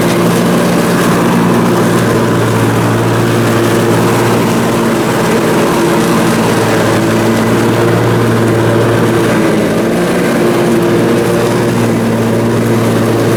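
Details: Briggs & Stratton Intek M44 twin engine after a full twin-carburetor tear-down and clean, under mowing load: even, steady low drone, no hunting or surging; sounds way better. Normal running after repair.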